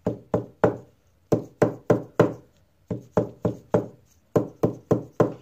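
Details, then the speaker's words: Acoustic guitar top, tapping over an already reglued brace: about a dozen crisp, clean taps in short groups dying out without buzz or rattle; brace solidly glued, no noise. "solid you don't really get any kind of noise"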